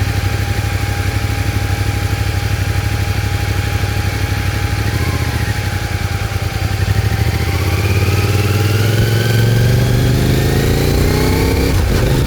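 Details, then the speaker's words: CFMOTO Ibex 450 single after TEAM MSC ECU tune, which fixed surging and jerking at 3,500–5,500 rpm, riding: engine note climbs evenly from cruise with no surging or hesitation; clean, smooth throttle pickup. "Heat. Well, that's definitely a lot smoother. Hold it steady in the bike."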